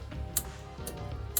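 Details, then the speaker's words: Traffic light control box in a garden installation, sharp dry relay ticks about once a second over a faint hum, the relays switching the lights in blink mode; normal. "once you turn this box on you actually can hear the relays doing their work so you can hear the clicking this is the uh blinking you hear"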